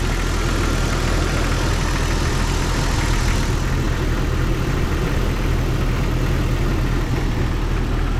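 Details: 1997 Jeep Cherokee XJ 4.0 inline-six idling after radiator and rebuilt NAPA power steering pump replacement: steady, even idle with a deep low rumble, no squeal or whine from the belt side; pulley looks slightly wobbly.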